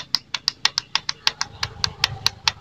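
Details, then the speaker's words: Suzuki FU125 motorcycle, ignition on, starter button pressed: rapid sharp clicks, about six a second, from under the seat; starter relay chatters but starter motor doesn't crank. "Pada saat tombol starter di start ditekan, rupanya ada bunyi di bagian di dalam jok ini."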